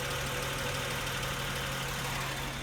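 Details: Honda Pilot after 180k service at a third-party shop that did not adjust the valves, recorded from above and from the side under the wheel arch: steady idle with light fast valve ticking; valve adjustment to follow.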